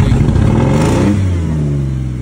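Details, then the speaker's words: 2003 Jeep Liberty at auction, jump-started and moved back and forth: the engine blips and falls back with a loud, raspy, unmuffled roar that tracks the revs; exhaust problem, possibly a leak or a cut-out catalytic converter. "start it up with the jump moved it backward and forward got an exhaust issue don't know if that's a cat that's been cut out on it"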